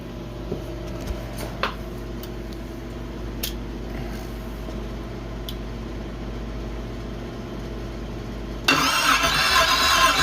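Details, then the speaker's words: GM 5.3 LS V8 from a Suburban swapped into a promod rock crawler, cranked dry with coil packs and fuel pump disconnected to prime oil: steady fast starter cranking with sharp clicks, engine not firing; starter noise, probably needs a starter spacer. "Probably needs a spacer in the starter. Sounds like it."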